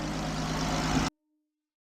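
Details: 2013 Chrysler Town & Country after crank-no-start diagnosis and reconnecting a component with its electrical connector: brief smooth idle, even low hum, no knocks or misfires, before shutoff; normal idle.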